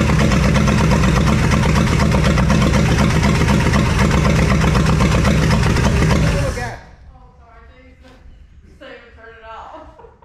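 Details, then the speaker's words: 1966 Plymouth Fury V8 (swapped engine, 62K miles), first start on temporary fuel supply: catches and runs loud with uneven, lumpy beat about six seconds then cuts off; sounds like a misfire, cause unknown. "give it a little gas. Thanks so much. It sounds like it's missing."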